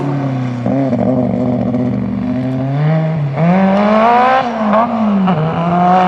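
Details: Magnum Super Buggy race car with new carburetor being tuned, after fuel line leak fixed: revs rise and fall unevenly, stumbling and sagging partway up; mid-range hesitation or flat spot persists, cause not found.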